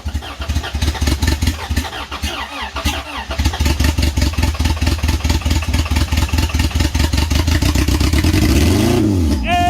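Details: Turbo B18-swapped Honda, first startup: long crank catches into an uneven, lumpy run that only holds when floored; fuel smell in exhaust, distributor moving, timing suspected 180 out. Rough running.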